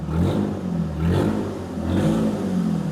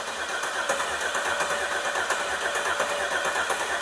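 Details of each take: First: Firebird after sitting 20 years, straight-piped, just revived by tapping stuck injectors: loud open exhaust blips up and settles about three times, pulling cleanly; good oil pressure, normal revving. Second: Car sitting 20 years, fuel tank serviced, everything connected: steady healthy cranking with no firing pulse despite good fuel pressure and spark; crank no start from stuck fuel injectors.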